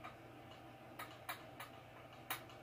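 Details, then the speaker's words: Hatsan Flashpup Quatro trigger lightly tapped: sharp light metallic clicks as the aluminium trigger blade rattles in about 0.010 in gap under its steel cover, giving about 1/16 in side play; trigger blade rattle. "you can just hear how loud that is and and what that is is just that jingle jangle in there you know that ten thousandth of an inch of play in there"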